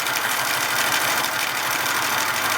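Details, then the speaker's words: Hornby G100 live steam Stephenson's Rocket model after repairs, running on the bench under gas-fired steam: quick, even chuffing under a steady hiss, no unnecessary noises from cylinders or valves; smooth normal running. "there's no unnecessary noises from the cylinders or the valves everything's very smooth i really think this is going to be a great success on the track"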